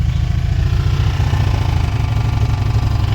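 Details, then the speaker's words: 1994 Chrysler Town & Country van rescued from a junkyard, first start after sitting: rough, lumpy engine run with an uneven rattly pulse and smoke under light revving; owner suspects head gasket, unsure whether the rattling is something else. "I think she's bad. I don't think the motor's any good. That don't sound very good to me."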